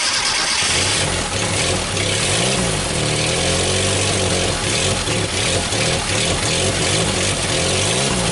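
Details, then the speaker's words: 1974 SEAT 127 three-door, first start after over two decades parked, fed from a fuel bottle: steady even running, firm exhaust note, mild rev swings, no misses or knocks; engine sounds good. "Vous l'avez déjà vu démarrer avec une bouteille d'essence branchée, le moteur marche bien, ça sonne bien, etc., mais bon, il fallait mettre le carburateur."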